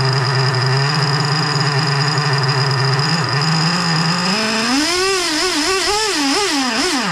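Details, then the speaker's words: Freshly rebuilt 3.3 engine with new bearings, during carburetor mixture adjustment: a low idle climbs into revs and hunts without settling. It won't idle unless the throttle is held slightly open; the owner suspects carburetor adjustment or positioning. "But it's not uh it's not [ __ ] staying idling. Let's see. But I mean, unless I hold that [ __ ] accelerator open a little bit."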